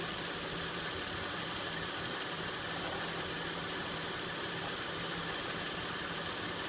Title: 2006 Acura MDX rattle noise at idle.